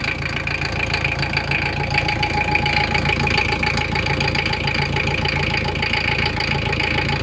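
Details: Toyota 1KZ-TE diesel idling with a steady, sharp knock of three to four beats a second over the clatter; the knock disappears with slight throttle and returns at idle.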